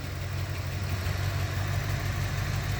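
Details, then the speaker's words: 1988 or 1989 Corvette C4 V8, long-sitting, firing order verified: rough, uneven low idle with hard misfiring stumble, revs creeping up unprompted; owner suspects dirty injectors, cause not confirmed. "The thing is still misfiring like pretty hard. I double checked the firing order, that's all good. Either that or the injectors are just that dirty. Ooh. It just idled up there like for no reason at all."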